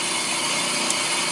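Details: Drum on an Ammco brake lathe, cutter taking two thousandths of an inch: steady even high hiss with no chatter or squeal; a clean finish cut.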